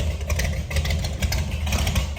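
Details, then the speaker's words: 1968 Ford F250 with rebuilt hopped-up 390 V8, long-tube headers and true dual exhaust, idling inside a barn after sitting over 1.5 years: deep, lumpy but regular burble, no knock or miss; normal healthy idle. "you hear that Rumble and it's in a barn being muffled by all that"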